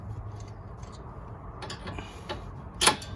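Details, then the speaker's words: 2005 Ford Mustang 4.0 base during sway bar link replacement: a few light metallic clicks and one sharper knock as the sway bar is moved by hand, rattle from worn sway bar bushings that need replacing. "oh yeah and this is going to need more work it needs the uh sway bar uh bushings see you can hear it rattle"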